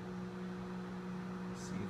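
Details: Microwave oven heating a glass of water after its faulty door switch was replaced; it had lit up but would not heat, buzz or spin. Now a steady, even low hum with the turntable turning and the water warming; normal operation.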